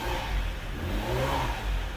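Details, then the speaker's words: Ferrari V12 with an intermittent fault, heard under throttle after the connector reseat failed to fix it: slow, flat, uneven revving at half power, so one cylinder bank seems lost; the two ECUs are to be checked next. "Half power. It's really sluggish. You can hear it as well."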